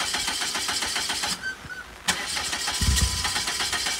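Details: 2.4-liter turbocharged PT Cruiser with nearly empty tank: starter churns in quick even bursts, pauses, cranks again without catching; no start, suspected fuel starvation, owner plans to prime the fuel system.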